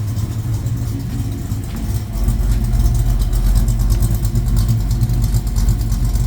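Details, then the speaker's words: 1972 Mach 1 Mustang restoration start-up, air cleaner not bolted down: deep, loud idle with slightly lumpy but steady beat, no knocks or ticks, good oil pressure; healthy, power steering pump audible. "That thing runs good, man. I for $1,000 motor, I couldn't be any happier. Lots of oil pressure, quiet."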